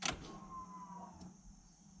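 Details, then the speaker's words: Ford with TFI distributor, no-start: fuel pump just reinstalled in the tank, click then brief steady electric hum fading after about a second as the pump primes normally; spark was present at the distributor, car still does not start. "you can hear pump is priming great still no start just like before"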